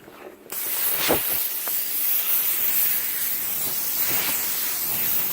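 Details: CUT50 plasma cutter using welder's earth lead (fixed earlier barely-touching problem): steady harsh hiss with sharp crackling spits; arcs and melts metal and consumables rather than cutting cleanly, cuts messy and inconsistent.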